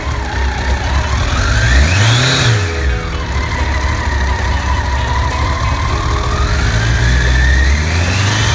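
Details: Honda CBR1100XX after cam chain tensioner replacement: engine blips up and falls back twice with an even clean note and no cam chain rattle; sounds healthy.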